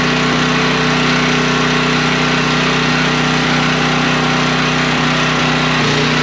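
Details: Generator after parts replacement, running with a vacuum cleaner plugged in as a light load: a steady, even drone at constant pitch with no misses or surging; it runs smooth.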